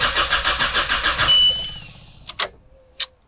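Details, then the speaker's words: Mazda Bongo camper van cranking: the starter turns briskly, about three and a half beats a second, then all power dies mid-crank and later returns; owner suspects an intermittent battery fault. "oh well we've got power again give it some gas no no right so it does have an intermittent like battery sl"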